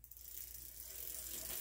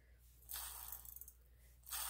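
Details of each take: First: Fast, rough, popcorn-like ratchet clicking from the spinning freewheel of a Huffy Trail Runner full-suspension bike: a dry, noisy freewheel felt rough in the hand, before it was quieted. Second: Huffy Trail Runner bicycle freewheel spun by hand after oil fully penetrated the internals: only a soft, fine, fast ticking, much quieter than before and turning smoothly.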